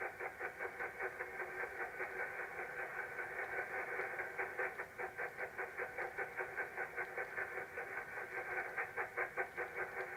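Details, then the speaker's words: Radio receiver near 29 MHz: rushing hiss chuffing about two and a half times a second like a steam train, interference of unknown origin, later traced to a soldering iron being on. "Sounds like a [ __ ] steam train, don't I? Don't know where that noise is coming from."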